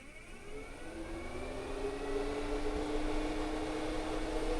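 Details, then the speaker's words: Vortex II bathroom fan fitted as a larger upgrade in a Coachmen Apex 300BHS RV, run from a separate wall switch: a rising whoosh that climbs in tone to a steady rush of air on start-up, described as jet-like. Runs normally. "and it's pretty cool it sounds like a jet engine when it starts up i mean that's awesome but anyway so it is a lot more air uh running through here"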